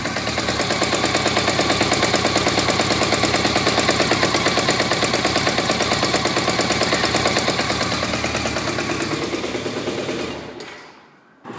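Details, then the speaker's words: 1991 BMW K100 RS 16V motorcycle at idle, heard at the engine-gearbox junction: hard, even metallic rattle about three knocks a second; owner suspects clutch, not confirmed. "it sounds like it's a clutch problem I don't I am not really sure about it"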